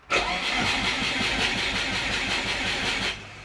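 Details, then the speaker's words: Turbo Subaru Forester after an ECU update, earlier logging crank trigger reference error 1301, with the RPM trigger filter changed from level 3 to 1; the starter cranks sluggishly at about three beats a second and the engine never catches. A low battery is suspected, possibly flooded too. "and that's helping but we are low so we'll come back I'll leave the battery on charge hopefully it's not just another flat battery doing this"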